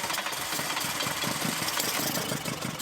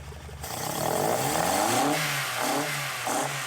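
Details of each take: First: Golf GTI with newly fitted twin carburettors, just started as fuel comes back through the system; lumpy, uneven idle with pulses wavering in strength because the carbs are not yet balanced and need synchronising with a balancing tool. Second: Golf GTI with twin carburettors after synchronising them with a carburettor balancing tool that measures airflow; revs climb and fall cleanly with the throttle, no misfire or stumble, evenly balanced and healthy running.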